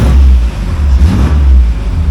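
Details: 1986 Nissan 300ZX, 3.0 litre non-turbo V6, 153 hp, about 100,501 miles: deep, even note swelling and easing with a light rev, no knocks or ticks; healthy engine revving.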